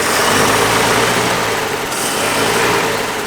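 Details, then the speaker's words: 1950 Plymouth flathead engine idling after a tune-up with new plug wires, started after long sitting; soft, steady idle with a weird little humming sound but no stumble or misfire, normal idle. "Yeah, weird little humming sound there, but I guess we don't really care. Yeah, this thing is just a trooper."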